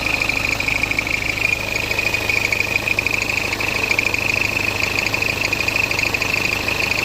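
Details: BMW F10 520d with N47 diesel at idle; a high, steady squeal chirping about three times a second; the squeak was solved, but its source is not stated.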